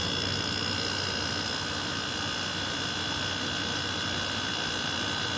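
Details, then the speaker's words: 2003 Whirlpool 5000 BTU window air conditioner, model ACD052MM0, thermostat all the way down: steady even hum and fan rush with no knocks, rattles or pulsing. The compressor and fan are running fine, and the unit is in good shape. "Anyway, that sounds nice. It's in pretty good shape."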